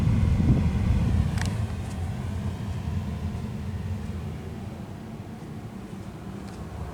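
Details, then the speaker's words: Whalen in-wall HVAC unit in a Marriott hotel room, fan on low, 72°F: steady deep airy rumble with no knocks or rattles, quite loud; owner unsure if dirty filter or poor insulation is the cause. "Now, one thing I will say about this unit is that even though it's in the wall, and these tend to be quieter, this one in particular is quite loud."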